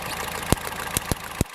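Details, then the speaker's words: Budget hybrid build, engine running with an ignition coil pulled out of its cylinder: sharp, loud snapping pops as it arcs. The coil is producing spark and works, which leaves the spark plugs as the suspect. "you can hear it popping off. So we know we're getting spark through there."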